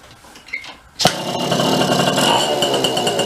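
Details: Bridgestone Rockford Chibi vintage mini bike with about a 3.5 hp Briggs engine, yard-sale find, clutch checked: a quiet tick, then it catches and settles into a steady buzzing run with clear pitch and no misses; normal running.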